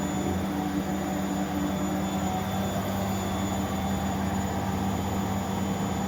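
Steady, even drum rumble with a constant hum and no knocking or scraping throughout; the spin sounds smooth and healthy.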